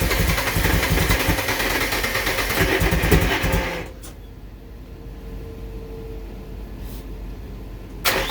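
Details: Nissan Silvia: about three seconds of steady starter cranking at roughly three turns a second with no firing; engine cranks but won't start.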